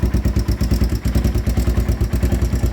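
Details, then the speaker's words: 2001 Honda 400EX single-cylinder ATV, restarted with the choke turned down after an unexplained lockup: steady, even thump at about seven pulses a second, no misses or clatter. "So it's running again. I don't know what happened. Sounds good too."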